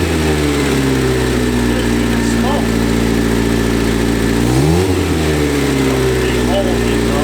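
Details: Barn-find 1971 Fiat Spider 850 four-cylinder, first independent start in about 30 years on its own clean tank and working mechanical fuel pump: steady even idle, smooth low hum, revs dip briefly then settle.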